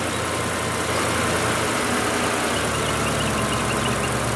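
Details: V8 started with a small jump pack because the battery had only 9.7 volts after sitting. It settles into a steady, even idle under hiss, with no knocks, misses or ticks; the engine runs smoothly.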